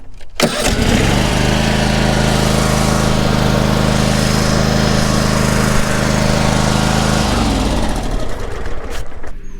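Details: Toro Z5030 zero-turn mower owned since 2009, hard to start for years, just after replacing the starter: starter cranks briefly, engine catches at once, runs a steady even beat several seconds, shuts off cleanly; healthy start.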